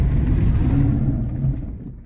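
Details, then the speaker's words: Car with low brake pedal after ABS hydraulic unit fault and brake system flush, hard stop on loose gravel: loud low rattling buzz of ABS solenoids and hydraulic unit fading as car stops; ABS working normally. "Esse barulho que vocês ouviram, aquele barulhão, é o solenoide batendo, é a unidade hidráulica trabalhando."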